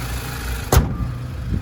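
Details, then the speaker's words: 2015 Mazda CX-3 Maxx with service history, listened to at idle under the bonnet: low even hum with one brief handling bump, no knocks, ticks or squeals; normal idle. "And as we listen to it run, no major knocks, rattles or squeals. Just that motor ticking over nicely."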